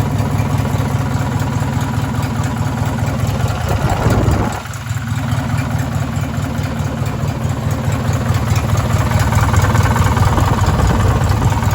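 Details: Race mower small engine at idle: a deep, regular rod knock under its low chugging beat; likely to blow up.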